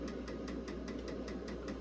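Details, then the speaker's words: Vintage IBM PC/XT floppy drive not clamping the disk properly, so the hub runs off-center. Sharp, even knocks about four or five per second over the drive's hum. A replacement drive is on the way. "so you get the knocking sound of the Hub being off center"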